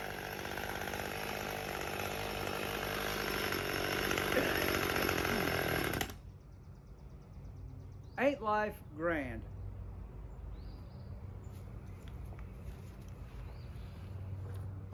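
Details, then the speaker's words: Husqvarna T540 XP Mark III chainsaw, 136 hours and 1500 starts, choke on, test after a pump diaphragm replacement: buzzes steadily about six seconds, then abruptly dies; stalling, with fuel starvation suspected. "I'm going to throw a pump diaphragm in there and see if that doesn't help, cuz our issue screams I'm not getting enough fuel."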